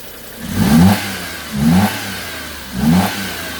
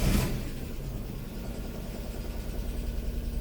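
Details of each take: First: Daewoo Matiz after service, three throttle blips: loud hollow intake roar because the air filter housing isn't seated properly; owner also suspects a squeaking alternator. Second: Daewoo Matiz after oil and filter change, start-up: brief burst settling into a smooth even low idle, no knocks or ticks, oil light flickers briefly then out; normal idle.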